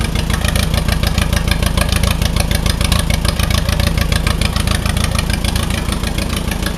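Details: Allis Chalmers WD45 tractor engine idling before a compression test, warming up; runs better with choke pulled. Loud, lumpy idle at about two beats a second with uneven thumps: single-cylinder misfire, owner thinks cylinder 4 (nearest radiator); cause not confirmed.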